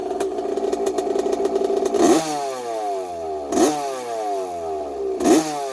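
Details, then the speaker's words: 1982 Yamaha YZ80J two-stroke after a carb and air cleaner clean and fresh fuel, no coolant in: crisp idle and three clean throttle blips, not rattly, though some loose-part rattles are noted. "Sounds pretty good. The motor doesn't sound rattly at all."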